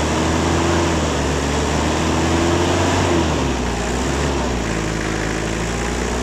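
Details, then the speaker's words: Toyota 2L 2400cc diesel idling with a hard, fairly regular clatter, about four knocks a second over the rumble; diesel knock blamed on both injection pump and injectors, diesel return flow not working properly. "ठीक है, इसका pump nozzle दोनों का मसला है।"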